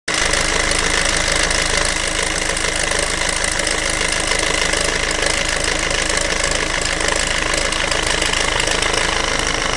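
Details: Peugeot/Citroën 1.6 HDi FAP diesel at idle: a hard, fairly regular knock about 2.5 per second over the diesel clatter; the owner asks whether this sound is abnormal, and the cause is unclear.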